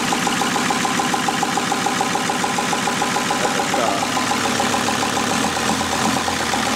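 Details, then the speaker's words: VW T4 Transporter converted from a worn 2.4 diesel to a 2.5 TDI (ACV, 75 kW) with a mechanical injection pump replacing the electric one, run briefly without a radiator. Even, smooth five-cylinder diesel idle with no misses or knocks; runs perfectly. "Takže nahrubo to máme složený, motoricky nám to běhá perfektně."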